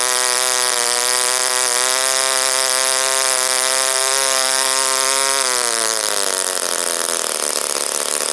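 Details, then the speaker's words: OS Wankel rotary, 4th tank, on 5% Omega fuel with extra castor, a 10x4 APC prop, a crimped brass header and the needle about 2–2.5 turns open: steady high buzz droops and roughens as it loses revs. It died when leaned; owner suspects overheating. "okay so one of the instruction manuals I read so that if it rpm decreases like that and it stops that it's too rich but as soon as I leaned it it died so go figure"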